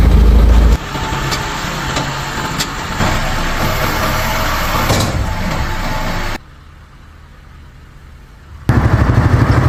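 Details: BMW F32 with iPE exhaust at idle: deep exhaust note with uneven, stumbling pulse from misfiring with loss of power and drivetrain error; mechanic found an ignition coil problem.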